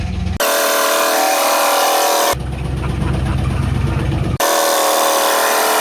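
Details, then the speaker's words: Camaro/Firebird LT1 V8 run as a torture test with no oil and zero oil pressure, nearly 3 minutes in: heavy rhythmic knock at about four a second over the idle; bottom-end knock from oil starvation. "Coming up on 3 minutes. I can't believe it's still going. Unreal. No oil. It's knocking."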